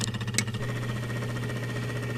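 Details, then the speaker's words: Bosch refrigerator damper control motor, about 10 years old, running with the panels removed: steady low hum with a rough, fluttering pulse, indicating the motor is about to fail; it is being replaced. "okay here's the motor it's operating seemingly and you can hear the noise that it's making and uh that's an indication that the motor is got some sort of problem it's about to fail"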